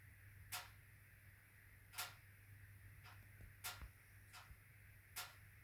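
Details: HWAM Wiking Mini 2 wood stove, warranty replacement whose air control was later adjusted: sharp uneven metallic ticks every second or two over faint hum, ticking then banging through ~45-minute burn; owner suspects bimetallic coil spring hitting a mechanical stop.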